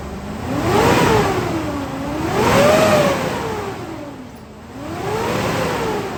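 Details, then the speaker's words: GMC Yukon half-ton with a cheap aftermarket fan clutch, three revs: loud roaring whoosh climbing and falling with engine speed; fan clutch stuck engaged, not slipping at higher RPM, to be replaced with AC Delco 15-4694. "so what happens here is a fan clutch is supposed to it's got like a thermostatic coil inside of it at idle right on lock it's pretty tight well what happens is when the engine RPM increases this clutch gives a little bit and the fan slows down"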